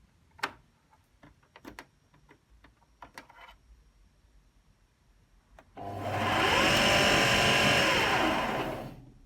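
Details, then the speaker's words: AEG Lavatherm 56800 tumble dryer: clicks at faulty start button, motor hums about three seconds, drum turns slightly then stops; belt present, PCB or motor suspected, 5-flash error code. "rotates ever so slightly for a second and then stops but it does rotate and there is a belt on it"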